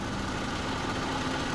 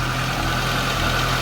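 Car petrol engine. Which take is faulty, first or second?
second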